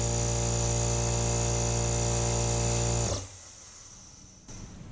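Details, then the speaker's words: 4-gal 1 HP oil-lubricated Craftsman compressor (921.166380), originally humming and locked up, now runs freely with an even drone after repair but builds no air pressure; owner suspects the cylinder head isn't fully snugged down. "Okay, not seeing any pressure. I'm going to unplug it."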